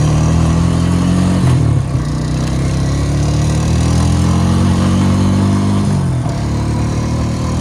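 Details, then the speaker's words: Rebuilt 2002 Honda Rancher 350 ATV pulling away on a ride: smooth, even single-cylinder note rising cleanly with throttle, idle a bit high, nice and quiet; normal running. "Very nice and quiet. This motor's mint. Starts right up."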